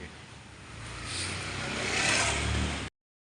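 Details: Hero Maestro Edge scooter engine revving with a dry rattly clatter from the engine side: a loose cam chain due to a failed automatic cam chain tensioner.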